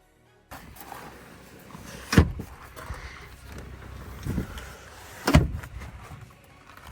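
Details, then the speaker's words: 2020 Mercedes-Benz GLC 220d 4MATIC with 249,000 km, in the boot: the rear seat backs fold at the press of a button, two firm thumps about three seconds apart with nothing grinding, a normal power seat fold. "погляньте як класно просто з кнопки відкидаються заднє сидіння крутяк"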